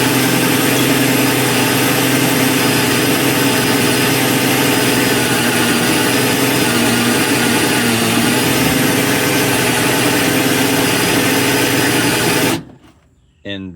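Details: Replacement Super Max trailer jack gearbox driven on fresh battery, lifting an empty trailer: steady strong motor-and-gear drone holding even pitch about twelve seconds, stopping cleanly; smooth, healthy lift.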